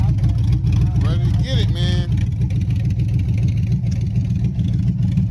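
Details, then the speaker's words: Chevy Silverado 5.3 V8 rebuilt after a bent rod: 0.020 over pistons, Summit stage 1 cam, beehive springs; a hung injector was fixed. Revving without exhaust pipes: a loud, deep, even rumble firing smooth and steady, no knock or tick. Healthy. "I was thinking BTR or something like that, but either way, it's still a good sounding cam."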